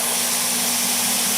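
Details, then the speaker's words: ApolloSpray digital turbine sprayer (PRECISION-6 PRO / Maxi-Miser 3000) set at 3 PSI, with motor speed adjusting as the trigger is pulled and released. Steady, even airy rush over a constant low hum, no surging or rattle; normal running. "so the machine is constantly sensing the pull and the release of your trigger and adjusting the motor speed accordingly"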